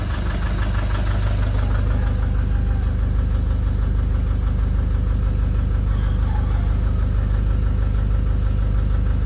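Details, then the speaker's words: Nissan Urvan Estate ZD30 E25 diesel, smoky, no check engine light or fault codes: a deep idle with an uneven, lumpy beat about three times a second, a misfire that also vibrates under gentle throttle. "Ito ang issue niya is mausok at saka nangangatal ng konti. Nagv-vibrate pag ah dahan-dahan yung apak ng accelerator."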